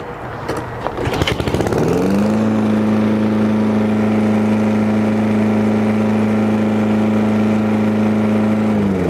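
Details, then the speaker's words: Toro Recycler 22-inch mower after oil change, cleaned carburetor and new spark plug, previously sputtering: pull start sputters, catches within two seconds, auto choke, settles to steady even drone with no misses; runs healthy. "that honestly sounds really really good starts easy love the auto choke system on this"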